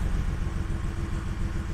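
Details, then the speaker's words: Audi 100 C4 2.8 petrol V6, said to have a freshly rebuilt engine, previously misfiring, lacking power and stalling; after repair and bleeding the cooling system: a low, even idle that revs up smoothly with no misses, though a rattle remains from the exhaust. "працює чисто гарно обороти набирає плавненько гарненько двигун Працює чітко"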